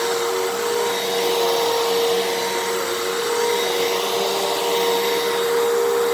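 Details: 12 Amp Fantom Fury upright vacuum, made October 2000, after repair, cleaning carpet: steady, even mid-pitched motor whine, no surging or choking; normal running with full suction.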